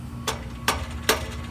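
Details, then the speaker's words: 1998 Chevrolet Silverado 1500 lifted truck with P0420 catalyst efficiency code: sharp metallic taps with a loose tinny rattle, heard driving when shifting gears and accelerating; loose exhaust flange joint, fix is new flange gaskets (donuts). "it will make a noise it'll rattle so it's an annoying Rattle and you can actually hear it driveing down the road when you go from one gear to the next and accelerate it'll rattle"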